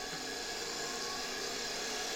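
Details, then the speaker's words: 1973 Electrolux Z320 vacuum motor, similar to Polish Zelmer motors, bench-run at 24 V after removing the exploded suppression capacitor: steady high whir spinning up evenly with smooth airflow hiss and no rattles; healthy. "The design of this motor is very, very similar to those Polish 300-type motors. You can feel the air escaping from this motor even at 24V."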